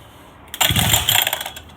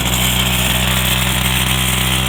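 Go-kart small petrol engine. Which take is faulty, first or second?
first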